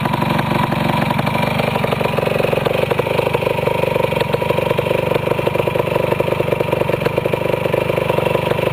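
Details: Restored 1973 Yamaha CT175 two-stroke (rebuilt carburetor, clutch repair, 6-volt system with magneto), started and idling: crisp, even ring-ding putter holding a steady beat without stalling or hunting; owner calls it his best-starting machine; normal idle.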